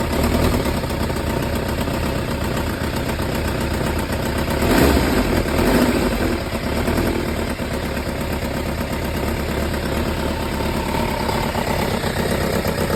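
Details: Kawasaki ZZR1100D after muffler swap (SP Tadao Techsurf): uneven metallic rattle chattering through a lumpy idle with no steady beat; owner unsure whether mechanical noise or exhaust leak.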